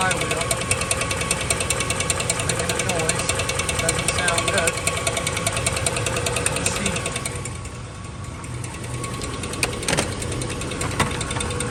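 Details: 2004 Dodge Dakota 4.7 V8 running: fast, rough rhythmic knock and metallic scrape as rust-expanded, rotten iron block pushes the engine-to-transmission spacer plate into the flywheel, which rubs it.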